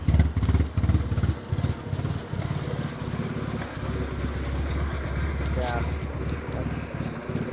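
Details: BMW E36: lumpy, uneven idle with irregular chuffs and a stumbling beat around two per second; bad misfire, cause not clear.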